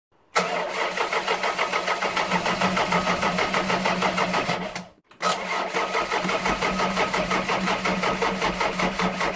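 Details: Ford Fiesta with 1.3 OHV engine at idle, valve clearances too wide: quick, even ticking from the top of the engine over the idle; valve tappet noise from excessive clearance, before adjustment.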